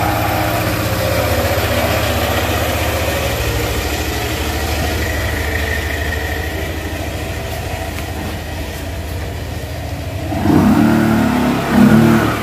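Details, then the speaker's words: Yamaha NMAX scooter CVT, after a squeak like a trapped mouse from a stop up to 10–15 km/h was traced to the clutch lining and the original Yamaha part was fitted: smooth drive drone rising on pull-away, with no squeak, during the test ride. "Wala na Wala na tama yung inala natin mga Bok lining nga yan mga Bok binalik namin yung ano niya after market niyang lining"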